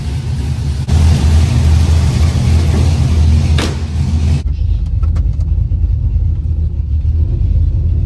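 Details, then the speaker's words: LS-swapped daily driver V8, 200,000 miles, after repair of a noise previously heard near the firewall while driving: deep even rumble under way, just slight lifter chatter; normal running, issue fixed. "I think it's fixed just a little little lifter chatter but that's all right 200,000 miles you're going to have that"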